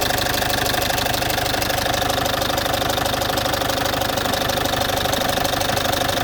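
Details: Citroën C5 2.0 HDi 100 kW diesel at steady idle with sharp, even ticking about three per second; top-end tick of unclear source, owner suspects injector area; injectors and valves repaired, piston rings, valve seals renewed 15,000 km ago.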